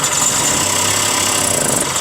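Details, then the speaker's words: 1967 Ski-Doo two-stroke, Tillotson carburetor, high-speed jet deliberately turned too lean, engine still a little cold: a raspy note that sags and stumbles instead of picking up, a lean bog; richening the high jet by quarter turns improves it. "It's too lean. Why don't you run? Still a little bit cold. Sounds a little boggy, a little bit of a bog."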